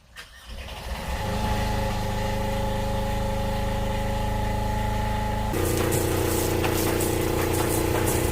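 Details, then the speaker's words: 8k Fischer Panda generator after annual service with new fuel filter, fuel-water separator, water pump seals and impeller: the diesel cranks, catches within a second and settles into a steady, even hum. A normal generator start and run. "well the service is all done i'm gonna let the generator run for a while make sure it's doing everything it's supposed to"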